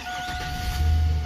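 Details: Truck used for window and glass installation that would not start, with no power and no lights, after a loose fuse-box cable connection was tightened: a deep low rumble swells as it catches under a steady two-tone chime, starting cleanly and running.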